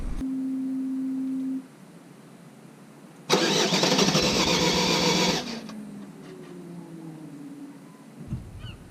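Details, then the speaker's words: Vauxhall Vivaro van first start after clutch replacement (LUK kit, flywheel torqued 60–70 Nm by guess): brief cranking catches cleanly, settles to smooth steady idle with no stumble; no dash lights afterwards, healthy start. "So, with no more further talking, let's hear the van fire up first time after this job."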